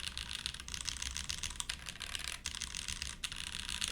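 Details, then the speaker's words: Monokei x SingaKBD Jaguar TKL, TTC switches; alphas sound deeper, slightly sharp spacebar blamed on the switch. Steady clacky keystrokes at brisk pace, crisp without rattle or ping; healthy, though o-ring mount preferred. "Okay, the alphas on this are definitely a bit deeper."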